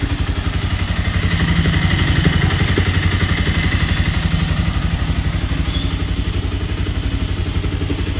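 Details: Bajaj Pulsar 220 BS6 single-cylinder, first start after engine-noise repair and reassembly, in neutral: even, crisp beat near four pulses a second with no tapping or rattle; engine runs clean and healthy.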